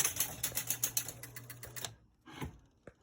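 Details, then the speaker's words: Gottlieb Sky Jump electro-mechanical pinball on restart during repair: fast run of sharp relay clacks stops abruptly, then scattered ticks; 20- or 10-point scoring relay wrongly triggering the 100, cause still being hunted. "Hunting around to see why that 20 point or 10 point relay is popping the 100, and I'm just scrounging around."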